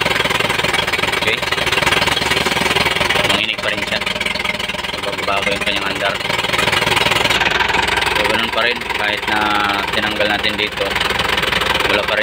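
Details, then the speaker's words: Isuzu 4JB1-TC turbo diesel that starts but dies: it shakes and clatters unevenly at idle with no pickup when throttled and weak exhaust flow. The air cleaner was clean, and running rough continues with the intake pipe removed. Cause unclear. "so binobomba ko na dito hindi pa rin siya nagbabago check na lang natin"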